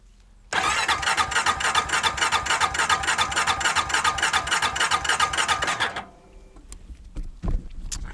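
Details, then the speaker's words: Honda farm equipment with the battery in and the fuel pump getting power: the starter spins the engine briskly at about 200 compression beats a minute for five seconds with no firing. "Well, the battery works, but still not cranking. So I have to figure something else out."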